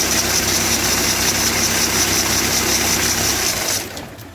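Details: Citroen Berlingo 2.0 HDi diesel at idle: loud, high-pitched bearing whir with fast chirping tick that stops at shutdown, from the worn auxiliary belt tensioner pulley bearing needing replacement.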